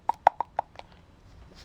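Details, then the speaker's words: Mercedes Vito 638 inner tie rod removed from the rack, rocked by hand: four sharp metallic clicks from the worn ball joint, the source of the knock heard from the steering rack side. "вот именно тот стук, который исходил со стороны рейки. То есть это стучал шарнир рулевой тяги."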